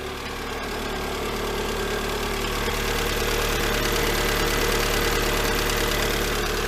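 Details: Lada Granta 126 engine at idle on first start after full rebuild (bored block, new bearings, 82.5 repair pistons, new timing kit, valves): light rapid tapping that follows engine speed, cold and hot. Teardown found a hydraulic lifter sitting high.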